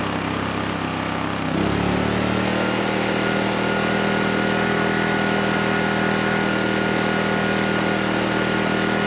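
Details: Honeywell HW2000i 2000 W inverter generator, about 20 years old: steady, even drone settling into a slightly deeper, firmer note as load comes on; waveform smoothed under load, runs smoothly and healthily.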